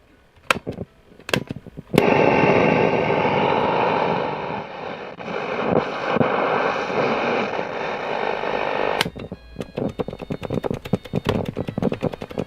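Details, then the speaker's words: Hacker Sovereign 2 RP25A radio, reportedly not working, first power-up on a supply at 18 V with low current limit: a loud rushing hiss bursts in, crackles and cuts out; medium wave springs into life, suspected faulty waveband switches. "I think it just so medium wave Springs into life there I think it's dodgy um switches so I can get medium wave to work"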